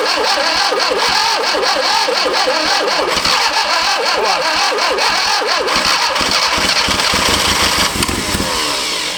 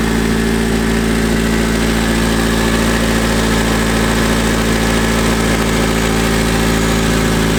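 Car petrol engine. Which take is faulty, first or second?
first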